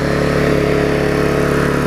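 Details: Vulcan 18" mower's 3.8 horsepower two-stroke, revived with a new intake pipe and a freed rusted flywheel/magneto, holds a steady, crisp buzzing note at even speed without surging or missing; running well.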